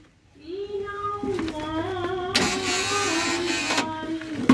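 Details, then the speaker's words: Toyota Avanza/Daihatsu Xenia power window after replacing the worn rubber window channel strip (old symptom: hard to raise, easy to lower). Steady motor hum as the glass rises evenly with no rattle; the fault was the rubber strip, not the motor. "sudah tidak Kocak lagi nih jadi seperti itu ya masalahnya itu berada pada list karetnya ini bukan berada pada dinamonya"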